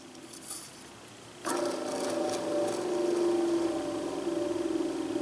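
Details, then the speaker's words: 2008 Goodman furnace draft inducer motor (Jakel J238-150-15293), audible through all the vents at furnace start. Rough droning hum with a warbling whine, believed to be a worn bearing; an OEM 0171M00001S replacement motor solved the problem. "so you can hear that through all the vents as soon as the furnace came on um I believe all it is is a bearing"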